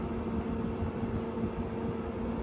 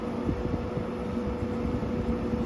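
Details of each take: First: GE 6000 BTU window air conditioner running on low fan speed: soft, even whoosh of air with low steady hum, no rattles or buzzing; quiet, pleasant normal operation. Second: GE 6000 BTU window air conditioner, indoor fan switched from low and medium up to high speed: steady airy whoosh with a constant mid-pitched hum. Indoor fan is quite noisy on high.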